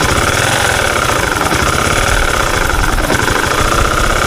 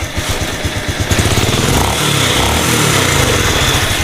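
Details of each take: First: Honda Supra 125 FI single at idle before repair: dense, uneven gritty growl with knocking ("ngok grok grok"), rough though piston, valves and cam chain were fine; worn crankshaft main bearing, later replaced to cure it. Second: Honda Supra 125 FI after crankshaft bearing replacement, centring and cam chain adjustment: smooth even single-cylinder beat revving cleanly with no bottom-end knock or rattle; normal running, former roughness gone.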